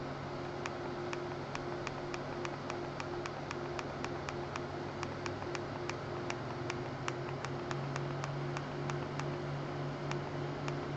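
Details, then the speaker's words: Apple G5 fans (four case fans, two CPU fans, rear exhaust fans) all running at 12 volts on a fan controller: several fans roaring at full speed, steady whoosh over low hum; healthy, just loud. "so this is four G5 fans two CPU fans and the rear fans all running at 12 Vols all horrendously"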